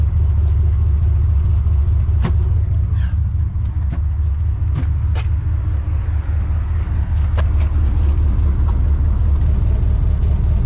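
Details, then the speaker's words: 1979 Cadillac Coupe DeVille V8, showing 63,000 miles (possibly 160,000): loud, deep exhaust rumble with an open, blatty burble at idle from a holed rear muffler that needs replacing, front muffler and heat shield also due. "The back muffler does need to be replaced. You can hear it and you can see it."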